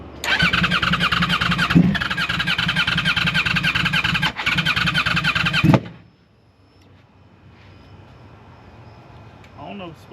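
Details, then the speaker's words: Wrecked 2009 Yamaha R1, in neutral: starter spins the engine steadily about three to four turns a second for six seconds, never catches; crank no start, owner later suspects the fuel pump was not connected. "bet it's crank it fast but uh what that [Music] mean short ain't going to start I don't know why probably cuz it's a piece of"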